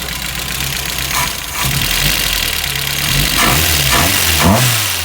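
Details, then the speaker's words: Mk1 VW petrol engine running with a light, busy valve train clatter; valve clearances too loose, intake on cylinder 1 measured 0.016 against 0.006–0.010 spec, exhaust 0.016 on spec; valves need adjusting. "If it's too far open, you'll get noisy valve train. Worst case scenario, you'll start breaking stuff. Same thing, you get premature wear. You'll start breaking stuff and it can turn ugly. So these valves are a little noisy. Definitely got to adjust them."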